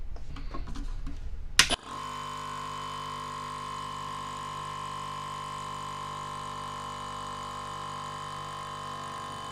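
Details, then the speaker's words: Ridgid 18V cordless brushless air compressor, after lubricating the rubber-sealed piston during teardown: steady even motor and pump hum with no knocking, running smoothly; fills one gallon in about a minute. "and it shut off now zero was the first time I shut it on and it will fill this thing up in about a minute one minute it can fill up one gallon of air so"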